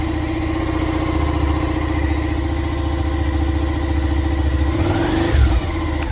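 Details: Rebuilt Suzuki SV650 after refitting loose connection, before radiator and fuel tank refitted: lumpy even twin beat at idle, then clean throttle blip picking up and settling; runs healthy.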